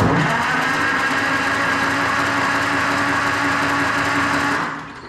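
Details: 68-year-old tractor, auction buy that sat for years with a stuck valve and antifreeze in the oil, first starter test: even whirring crank at a steady pace for about four seconds, then winds down. Starter turns the engine freely.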